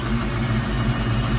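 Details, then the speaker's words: 1986 Mustang SSP after replacing spark plugs and wires, restarted: low steady idle with an even pulse and no misses or knocks, settling back down; normal idle. "oh I think it's I think it's all right for now and now it just idle back down a little bit but I think that's where it's supposed to be"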